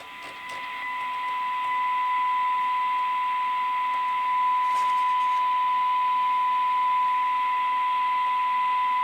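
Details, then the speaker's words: Cobra 21 LTD AM CB radio receiver under test, generator signal at -116 dBm: a clean steady tone near one kilohertz rises out of faint hiss and holds evenly; the receiver picks up the signal normally. "And I'm guessing actually the fact we can hear something means that this radio is at least capable of receiving. So yeah, hopefully you can hear the bit of a tone in the background."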